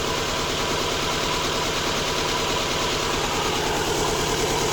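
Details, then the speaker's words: Subaru Impreza with P0301, P0303 and P0038 codes, after swapping coils one and three: uneven stumbling idle about two pulses a second over steady hum; still misfiring, cylinder one, possibly slightly better. "it's still missing clearly but but it's better that's [ __ ] weird"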